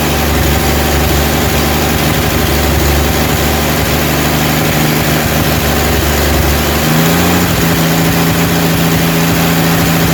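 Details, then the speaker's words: Rebuilt 230 six-cylinder cam break-in around 2000 rpm, timing about 10° advance, 40 psi oil, 180° temp, no smoke; steady fast idle settling to lower smooth pitch, no ticking or knocking; normal cam break-in run. "all right we we're breaking in the cam right now it's running really good sounds good"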